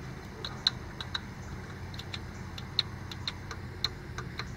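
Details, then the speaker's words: 1997 Ford Escort automatic transmission, upper left shift solenoid energised directly from battery positive for P1744/P0748 diagnosis; crisp clicks about every two seconds as solenoid snaps over; normal solenoid click. "you can see that's the cell annoyed clicking good"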